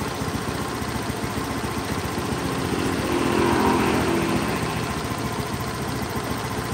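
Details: Honda Beat scooter after throttle body cleaning and TPS check, idle being set around 1500-1600 rpm: steady, even single-cylinder idle with quick regular beat, no hunting or misfire; idle settled and healthy.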